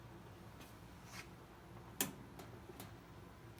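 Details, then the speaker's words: 20-year-old Roper electric dryer RES7646KQ won't start: single sharp start-switch click, then faint ticking and no motor hum. Start and door switches test fine; timer (part WP8299765) suspected, something loose heard inside. "but no starting and I can reset the click of that switch after the first time by clicking the door closed switch and that allows that this cycle switch to cook again which makes me think that both of these switches are working fine"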